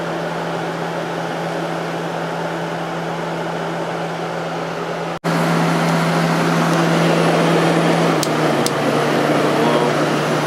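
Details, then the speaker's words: 1989 Coolerator 7,000 BTU window air conditioner by Whirlpool, Matsushita rotary compressor, Emerson fan motor, on high fan after cleaning, capacitor due for replacement: steady compressor hum with even fan rush, no knocks or rattles; normal running. "yeah so it runs great especially now that it's all cleaned out definitely going to replace the capacitor"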